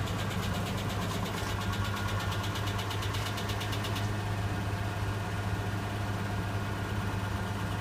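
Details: Nissan Laurel RB20E cold start in sub-zero temperature: fast, light top-end ticking at idle that settles after a few seconds; noisy hydraulic lifters before oil pressure builds.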